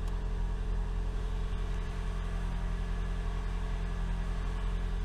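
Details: 2012 Toyota Camry Hybrid first start after swapping the stock NiMH battery for a lithium upgrade battery, no error codes: low, steady engine hum with an even beat and no knocks or ticks, a healthy idle.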